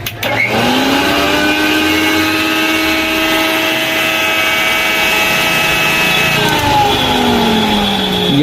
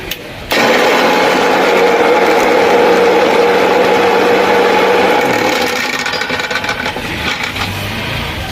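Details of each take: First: Mixer grinder motor run empty without the jar: spins up to a steady, even whine, holds smoothly, then winds down; the motor is healthy and the noise fault lies in the jar, whose bush is likely broken. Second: Mixer grinder roars with a loud, harsh grinding rattle when run with the jar fitted; it runs smoothly when run empty without the jar, so the fault lies in the jar.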